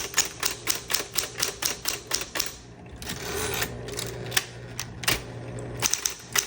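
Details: 1960s green Smith Corona Electra 120 electric typewriter demo: crisp, even keystrikes at a brisk steady pace over a faint motor hum, no dragging or skipped strikes; working normally.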